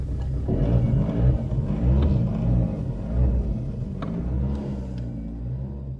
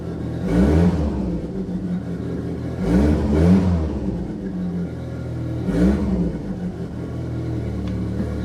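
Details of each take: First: Saab 900 Turbo with K-jet fuel injection running again after troubleshooting the fuel pressure and air meter plate: low rumbling idle, uneven and lumpy with wavering loudness; still rough but working. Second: Saab 900 Turbo with K-jet fuel injection, previously non-running, after K-jet repair: catches, blips three times, settles to steady even idle without misses; normal start and revving, though the engine still has small vacuum leaks.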